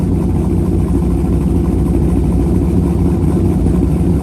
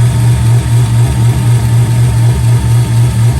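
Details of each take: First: C5 Corvette with a BTR cam, just past break-in and after its first oil change, not yet tuned: loud, deep, choppy idle with an even lope, no knocks or rattles; a healthy cammed V8. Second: C5 Corvette after break-in of a BTR cam with dual springs, pushrods, lifters and Cook's headers: loping V8 idle with a pulsing beat and faint ticking. Valvetrain noise comes through the headers; header exhaust leak suspected, not confirmed.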